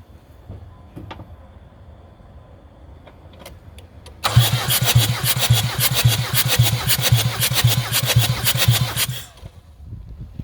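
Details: Jeep Liberty CRD diesel after top-end rebuild, glow plugs out, compression test on cylinder 2: about five seconds of even strong cranking chuffs roughly twice a second; reading about 330 psi.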